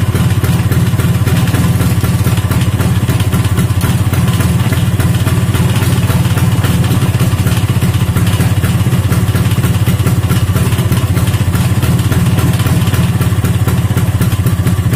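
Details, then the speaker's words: Vespa two-stroke engine running on a stand after an engine rebuild with a mixed Strada/Sprint gearbox. Steady, even low burble with no knocks or misses, only rattle from the undamped stand. The owner judges the engine smooth and healthy. "nah seperti itu suaranya untuk suaranya sih halusnya enggak ada Ashar Bagaimana ya layaknya motor habis di belah mesin dalemanya digantiin menurut saya sih halus"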